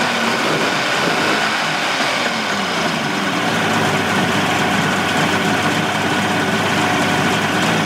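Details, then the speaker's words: 1988 Mercury 70 hp inline three-cylinder two-stroke outboard in a test tank after carburetor work, air silencer cover off. Steady, even buzzing idle with no dropouts or lopes; firing on all three. Normal idle. "now i'd say we are firing on all three she idles nice it'll sound a little better when i put the uh cover to the air silencer on there hence silencer"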